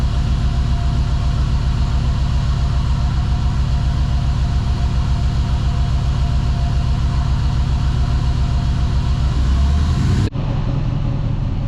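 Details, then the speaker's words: 2005 Dodge Ram 1500 4x4 with a swapped donor Hemi V8, cold, rusted-out muffler: deep, uneven idle lope with an irregular stumble, at least one cylinder possibly missing; owner hopes warming up revives injectors. "it took off and it's sitting there idling I think I hear at least one cylinder missing in it yet but I'll get it warmed up again and good so uh we'll see if that will bring these injectors back around here eventually"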